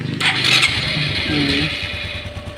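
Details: Motorcycle after fixing corroded remote-start wire, spliced to ECU, ignition coil and relay: brief starter whir, engine catches at once and settles into a steady idle; remote start and remote kill now work.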